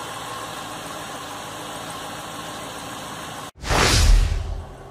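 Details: Corvette C6 after a rough-idle repair at the ignition connector and spark plug wire: after a quiet lead-in the engine catches at once and settles into an even idle without stumbling, running normally.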